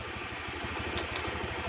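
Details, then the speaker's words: Honda Beat scooter after replacing mismatched variator rollers (three small, three large) with a matched set, test-ridden about 2 km: even, steady single-cylinder thump with no clatter or ticking; smooth normal idle. "sekarang sudah halus mesinnya coba kehidupan mesinnya Ok Google Hai suara mesin sudah halus"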